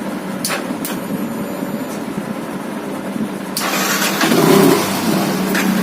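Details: Yamaha FZ fuel-injected bike with a missing problem. Starter clicks and the engine catches, but the throttle blip gives only a muffled, flat rise that sags back; it won't rev freely.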